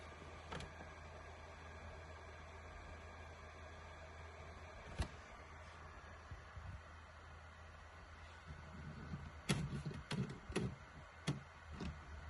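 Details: PS4 Pro after replacing thermal paste with Thermal Grizzly Carbonaut pad, starting up; soft steady low hum, no jet-like roar, few handling clicks: normal fan noise.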